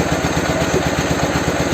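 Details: Soviet Ural/Dnepr boxer twin motorcycle after an engine replacement, with a 'bomba' muffler, during carburetor idle adjustment: lumpy, uneven thumping at a raised idle, firing on just one side, running on a single cylinder.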